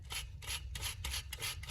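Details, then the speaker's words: Mk6 Golf R 2.0T timing belt job, removed idler pulley spun by hand: dry, gritty rasp on each of about six spins; worn idler bearing, to be replaced. "You can see this one doesn't really, the bearing's not the best."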